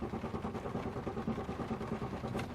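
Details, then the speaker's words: 2003 Chevy Malibu with anti-theft and security light staying on, no change with the yellow wire disconnected. Steady rhythmic cranking at about five pulses a second that never fires. The fuel pump runs, but the owner suspects no fuel into the cylinders and no ignition. "nothing I got a fuel pump you can hear the fuel pump so I got fuel you will go into the fuel rail but I don't believe I've got fuel pissing in and the cylinders and I don't believe I've got ignition here"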